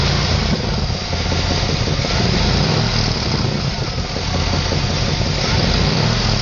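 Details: LT1 V8 idling with a harsh, uneven low puffing and raspy chuff from the engine bay. It has sounded this way since purchase, and an exhaust leak is suspected.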